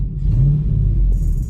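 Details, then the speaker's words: Dodge Dakota R/T, replacement 5.9L Magnum V8 from a Durango R/T, test drive: deep, clean V8 rumble pulling smoothly under throttle with no knocks or misfires; runs and shifts well, sounding better than the old engine. "You guys, we are driving the Dakota. She runs mint."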